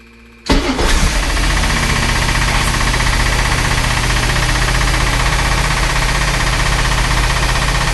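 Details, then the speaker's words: Chris Craft Commander 410, port 454 marine V8 that sat ten years, with a rebuilt carb, timing 8° BTDC and a temporary fuel pump: short crank, then a deep, even idle; runs fine, no rebuild needed despite an exhaust manifold water leak. "okay okay this thing's running i've got a pretty bad water leak back here on one of the exhaust manifolds but then this thing is running so does not need a complete rebuild"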